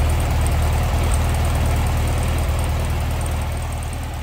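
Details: 1966 VW Beetle, restored ex-California car: air-cooled engine at idle from the rear, a deep, steady low beat of about three pulses a second, no misses or knocks, smooth and not smoking; normal idle.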